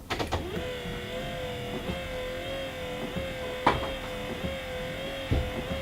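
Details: Alfa Romeo Spider S3 wiper motor, tested after the linkages were greased and the motor reinstalled: a steady electric hum with a soft clunk at each sweep end, roughly every couple of seconds. Wipers move, but still seem rather sluggish.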